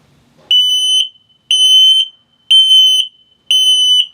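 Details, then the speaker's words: 2022 Flagstaff HW 21FSHW trailer LP/CO detector in test mode: sharp high-pitched half-second beeps once per second, steady and clean, the low-battery warning pattern. "So it'll go off, it detects LP gas leak, carbon monoxide, and also if it beeps very, very slowly, it's telling you your battery's low."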